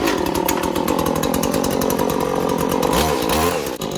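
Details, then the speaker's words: Trimmer Plus pole saw with a freshly sharpened chain, choke off: engine screams at high revs and pulls down steadily as the chain bites the wood, cutting cleanly and fast. "Now, what we're gonna do is we're gonna fire it up and we're gonna see how she cuts."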